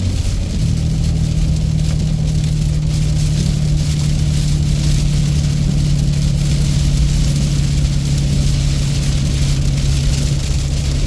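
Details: Engine running normally with a steady, even drone, no popping or chuffing from the exhaust; the exhaust brake noise has gone away.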